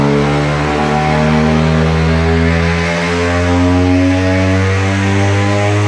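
Loud, buzzy rotary drone holding a steady pitch under load on the rollers, even and smooth with no misses or knocks.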